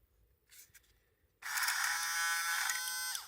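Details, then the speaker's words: Portative shower pump that stopped pumping: brief high buzzing whir spinning freely with a light rattle, motor humming without pumping; inside the impeller had come off its screw. "І щось брескає там всередині, як нажимаю на кнопочку і дешевше. Ну, думаю, мо можна полагодити. Ну, відкрив кришечку, а там ее випала крильчатка."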